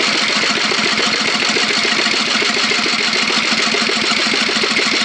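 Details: Fifty-dollar riding mower go-kart project, small single-cylinder engine in neutral, fed from a hand-held bottle of gasoline after cranking dry, new spark plug: rapid regular chuffing at a steady pace; engine started and running.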